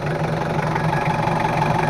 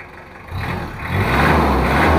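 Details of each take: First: L300/Kuda-type diesel after an engine rebuild with tested nozzles, before adjustment: it idles with a harsh, uneven clatter. The complaint is rough sound, thick smoke and high fuel use; the cause is incorrect injection pump setting and timing. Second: Mitsubishi Kuda diesel after injection pump setting and timing correction: smooth climb through two free revs settling back cleanly; normal revving, smoke no longer thick black.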